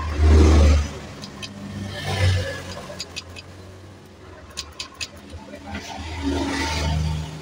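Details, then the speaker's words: Honda Vario 125 KZR bulb model, idles but dies when throttled: several kick-start attempts, engine catches briefly then fades and dies; hard starting blamed on faulty ECU. "Oke, di sini memang susah hidupnya ya. Kita akan buka dulu untuk di bagian rotaknya."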